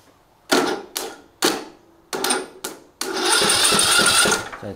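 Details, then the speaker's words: John Deere D110 lawn tractor that would not crank, jump-started from another battery: sharp crackles as the lead touches, then a short, even churn as the starter turns the engine freely; normal cranking, fault traced to the tractor's battery. "heaps more spark when i contact that and it actually turns over so something up with that battery"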